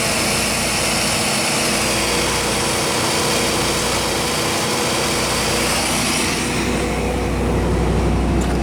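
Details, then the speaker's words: 1993 Chevrolet 3500 wrecker, 5.7 350 TBI with 5-speed, idling at first start in years: loud steady even roar with no stumbles, misses or knocks, and no smoke; running good. "all right I think that's it running good no smoke no knocking"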